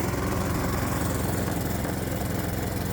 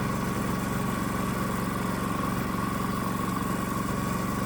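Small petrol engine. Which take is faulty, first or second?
second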